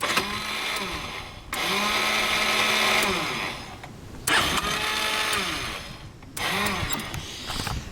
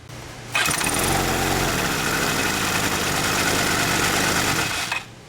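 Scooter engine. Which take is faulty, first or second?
first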